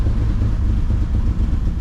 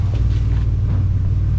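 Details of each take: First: 2004 Ford Explorer after sitting a while, treated with Seafoam, running with no exhaust fitted: a deep, even, loud rumble with no knocks or misses; good oil pressure, temperature cool, engine healthy. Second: 2004 Ford Explorer revived after long sitting, good oil pressure, temperature cool, no power steering fluid: deep, loud, pulsing unmuffled rumble at idle because no exhaust system is fitted.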